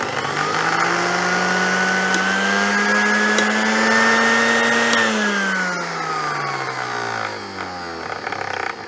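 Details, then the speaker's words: 1970s blender with glass jug and no safety switch, powered up on several speed settings: clean, strong motor whine climbing smoothly through each speed and winding down evenly, no grinding or rattle; healthy, powerful motor. "That sounds very powerful."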